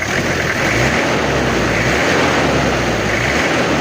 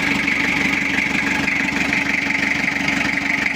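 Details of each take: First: Toyota Kijang diesel after repairing coolant overflowing into the reservoir (cylinder head removed twice before). Steady, even diesel clatter at idle with no knocks or misses, and the temperature is fine. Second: Toyota Kijang diesel after cylinder head work for coolant overflowing to reservoir, not yet warm: harsh, dry clatter with uneven beat, running rough; not yet set.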